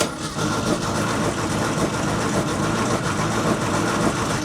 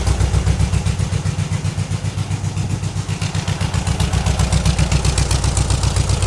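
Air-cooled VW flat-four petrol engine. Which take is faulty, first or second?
first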